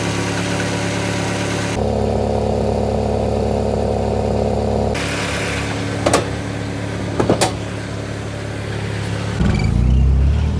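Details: Nissan 300ZX with KA24DE swap on a Link Fury ECU and turbo-ready harness, while being tuned: steady, even idle with a constant low hum and no misses, knocks or hunting, then a brief throttle blip; healthy running.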